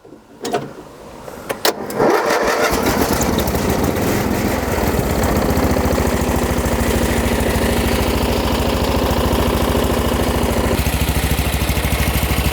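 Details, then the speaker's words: Old MTD riding mower with a cast-iron-bore engine, rubber engine-mount nuts tightened: catches after a couple of cranks, then runs an even, steady beat at throttle with no misses; runs like a top, no smoke, not burning oil. "anyway runs like a top it's not smoking whatsoever not burning oil"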